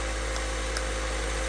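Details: Acura RSX (Honda) idling smoothly and evenly with a steady low hum and no knocks, misses or rattles, after a starter wire knocked loose during an IMRC valve install was reconnected; this fixed the no-crank, no-start and the engine now runs normally.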